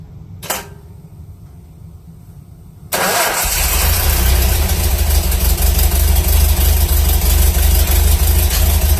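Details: 1978 Datsun 620 with an L20B engine just fitted with a Hot-Spark HS-HIT4 distributor, timing set by estimate: it cranks briefly, catches cleanly and settles into a steady idle of about 720–730 rpm with no misses or knocks; normal start and idle.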